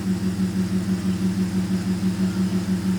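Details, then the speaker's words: Flooded 2013 Audi A6 C7 3.0T after revival, first start, cold, listening at rear: steady idle with even quick pulse and low hum, no knocks or misses; doesn't sound bad. "Honestly, doesn't sound that bad."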